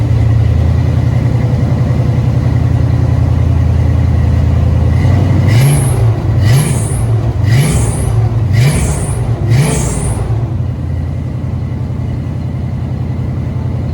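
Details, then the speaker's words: 1970 Ford Maverick EFI-swapped 5.0L V8 with new Flow Monster mufflers: idle then five quick revs each bringing sharp high squeal from loose drive belt slipping; washers added, stud planned to tighten. "okay so in that in in that video um I know you hurt the Mufflers but you also hurt the belt squill"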